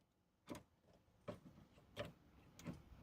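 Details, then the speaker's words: 1998 Jeep Grand Cherokee 5.9L: a door-lock micro switch sticks, giving four faint sharp clicks about every 0.7 seconds in a quiet cabin. It works when held in position; the owner plans to spray penetrating oil on it. "so this is what I figured out this switch is sticking I don't know if you guys can hear this"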